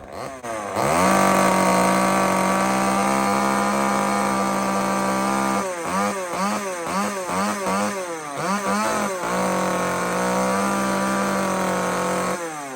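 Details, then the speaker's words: Old chainsaw needing carburetor work, high-speed screw turned in to lean it: at wide-open throttle a crisp, high, clear howl with quick blips between; lean high-speed mixture. "that high end when it gets to that kind of a crisp higher clearer note it's it's lean"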